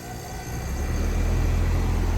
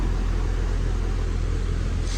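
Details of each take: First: Goodman AC outdoor unit after capacitor replacement: deep hum swells within half a second into a steady, even compressor drone, a clean start; before, it only hummed and buzzed then stopped, with gauges showing equal pressures. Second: Goodman AC outdoor unit: the fan runs but the compressor gives a deep, steady hum and buzz that stops without starting, pointing to a failed capacitor before it is replaced.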